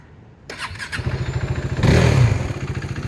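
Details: 2016 KTM RC 390 BS3 single-cylinder, about 5,000 km: catches on the first press of the starter and settles straight into a steady, even thump; a clean, healthy start.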